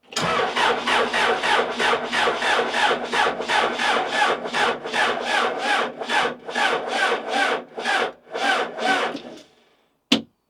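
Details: Neglected Case 580 Super L backhoe diesel, cranking with injectors cracked after fuel reached all four: slow, uneven cranking about two to three strokes a second, no firing, then stop; still air-bound and batteries dying.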